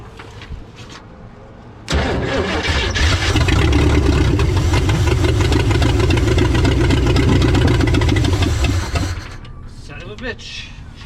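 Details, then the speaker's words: 1963 Chevy Stepside with Chevy 400 V8, previously seized and freed: starter catches at once and the V8 settles into an even, steady rumble for several seconds with no knocking; a healthy runner. "runs we got a runner I'm actually surprised no that's awesome"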